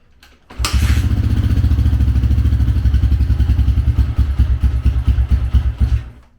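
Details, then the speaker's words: 2004 Honda CRF150F after a full engine rebuild, third reassembly, old piston refitted: even, steady single-cylinder thumping rising cleanly with revs, no rattle or knock at start-up; normal running. "Oh, wow. Okay, I guess third time is the charm."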